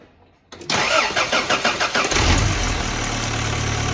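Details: Supercharged Toyota 22RE after bypass valve fix, with hard piping and crush-proof couplers replacing silicone tubes that sucked closed under vacuum and caused rich running: quick cranking pulses catch, then a steady, even idle with no sucking noise; normal idle.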